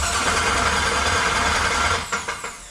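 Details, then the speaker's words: Willys Wagon overlander build, first start with Lone Wolf starter hot-wired: harsh metallic clatter while cranking, then sharp knocks as it stops; flywheel bolts found installed but never tightened, starter to come out to tighten them. "what's that somebody didn't tighten the flywheel up we're going to go ahead and hold off for a minute I'm going to lift this back up I'm not sure if there's flywheel bolts in it"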